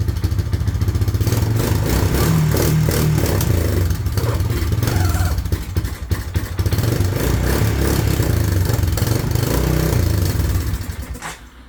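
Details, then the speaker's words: 1998 Honda 300 4x4 ATV after years sitting, first start after priming, oil added, 2-stroke gas mix, filmed at exhaust: runs unevenly with lumpy low clatter and surging revs, smoking; owner suspects the 2-stroke mix. "It was running. I do have 2-stroke gas in this thing to lubricate everything. So that might be a reason it's smoking."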